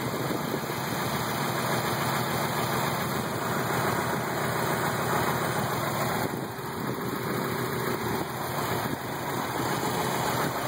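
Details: 1990 Mazda Miata at spec idle, steady and fairly loud with an uneven, lumpy beat and no clean rhythm, car and motor rocking back and forth; rough idle, owner suspects a possible crank problem.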